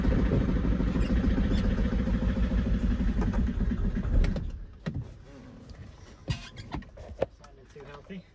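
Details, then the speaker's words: VW Caddy Maxi diesel on its first start after an injector repair: steady cranking at about three and a half beats a second for four seconds with no firing, then it stops; the fuel lines are still empty. "There's no diesel in there, see, because of the lines are empty."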